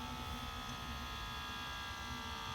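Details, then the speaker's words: 2019 Ram 1500, high mileage, on Nitto Ridge Grappler tires, lowering to the lowest air-ride setting: a steady, even hiss with a faint buzz as the system vents pressure; normal, and quieter in person. "You can hear the air ride system relieving pressure. It might sound loud on the video, but it's actually fairly quiet."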